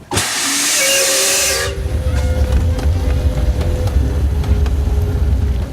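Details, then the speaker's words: 1925 Doble Series E steam car: loud steady hiss for almost two seconds over a low rumble, steam escaping from the whistle because its valve is not strong enough to hold a thousand pounds of pressure, so it is shut off manually. "that steam you see escaping that's from the whistle uh the valve is not strong enough to hold a thousand pounds of pressure so that's why i shut it off manually"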